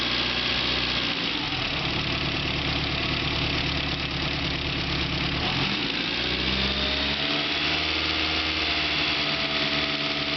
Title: E30 M3 S14 ticking noise_a